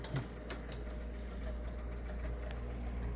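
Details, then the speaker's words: Gottlieb North Star pinball machine, owner reported score motor runs and runs: after pressing start, quiet continuous motor hum with sharp switch clicks that keeps going; score motor running on. "This one just got to hit the start button. And it's running on forever."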